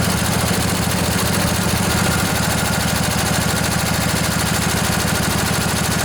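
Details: Junkyard Briggs & Stratton Intek twin-cylinder 20-25 hp riding mower engine, long sat outdoors, just revived: steady even chug at idle under background hiss, no knocks or stumbles, little smoky; normal idle.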